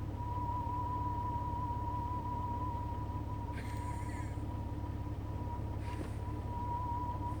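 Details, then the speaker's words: Jeep with the radio off: a steady high-pitched tone wavers constantly over a low drone; warbling tone from an unknown source, not the radio. "My Jeep's making a weird noise. Sounds like it's trying to connect, like, contact alien life forms or something."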